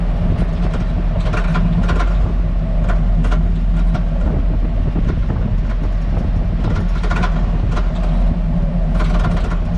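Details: Hummer H2 at 10–20 km/h: steady road rumble with irregular bursts of sharp metallic clatter every second or so over bumps. The rear rattle, heard from the cargo area with tapping felt, has lasted years. Replacing all springs, shocks, spring rubber seats, stabilizer links and bushings did nothing, and the shop can't find the source.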